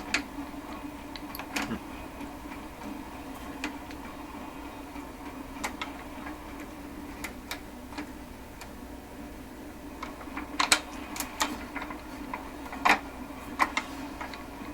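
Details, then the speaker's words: Seabreeze Model 968 tabletop record player during checkout: sparse mechanical clicks and clunks over a quiet hum as the changer keeps cycling instead of shutting itself off; tone arm pushes down too hard and the on-off switch feels loose, cause unconfirmed. "Too bad. There goes again. Got to tell it there's no record by dropping this. It should shut itself off."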